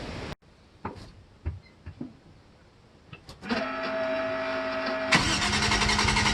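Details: Toyota Cressida MX83 drift car with a 1GGTE turbo engine, just after fitting a welded 4-inch stainless muffler with perforated tubing. The starter cranks briefly, the engine catches, then revs with a clean, deep, steady exhaust note. The exhaust sounds healthy and leak-free.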